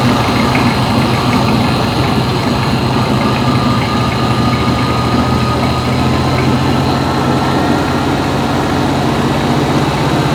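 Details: 1974 VW Beetle air-cooled flat-four after starter replacement, at idle: loud, steady idle with an even beat and no misfires, knocks or stumbles; carbs still good, the engine idles properly.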